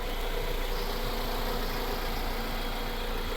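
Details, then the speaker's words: Honda CR-V after fixing its fuel pressure problem, with a temporary battery: steady, even, smooth idle with no stumbles or misses. Normal idle. "So, there it is. It runs good. It idle's great and that's all that was wrong with it."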